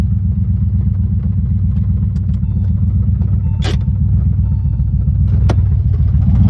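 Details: Engine (tagged LS3) gives a heavy, deep rumble with a dull knock mixed in, from two spun rod bearings; rod knock.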